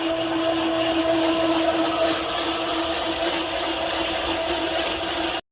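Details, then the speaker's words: South Bend overbelt lathe with a new chain sprocket drive replacing a badly slipping belt, no chain guard yet; steady bright whirring chatter with a constant tone and no slipping: normal chain drive running. "There's a sprocket drive now, because that belt was slipping pretty bad before. And here's what it sounds like."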